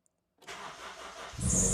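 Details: Honda CR-V after new fuel pump, codes cleared, fuel filter not yet changed: engine catches after brief silence and runs on its own at fast, raised idle that stays high; no audible misfire, fuel pressure reading suspiciously low.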